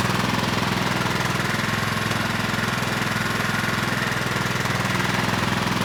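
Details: Craftsman LT1000 lawn tractor with Kohler Pro CV490S single-cylinder, running after a rock strike and carburetor check: steady, even thump at constant speed with no misses or surging; engine appears viable.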